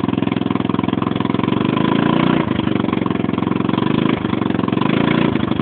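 Loud, rapid buzzing idle with a harsh, clattery edge that surges slightly now and then; something on this small scooter engine is abnormally noisy.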